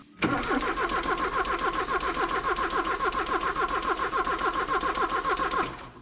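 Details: 1984 Porsche 944 that sat for a couple of years: steady starter cranking about 3.5 beats a second for six seconds, never firing; cranks but won't start.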